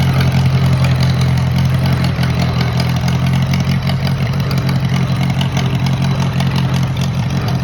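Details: Moline model BF tractor started on choke after sitting over a year, battery dead earlier: steady, even low chug at a settled idle, no knocks or misses; normal idle.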